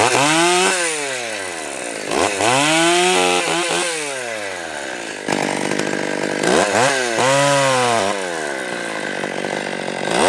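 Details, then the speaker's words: Stihl 020 AV chainsaw after fitting new clutch, new bar with nose bearing and new chain, warmed up with idle turned up, first test cut: crisp two-stroke revs sag under the cut and climb cleanly back, no stumbling; normal, healthy saw decimating a small tree. "well I am extremely happy with this the way it is it's amazing for such a small lightweight package such a small engine and cylinder it runs phenomenally and it just decimated that little tree in in seconds really"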